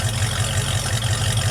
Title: project truck warm start pt2 vacuum leak fixed and runs better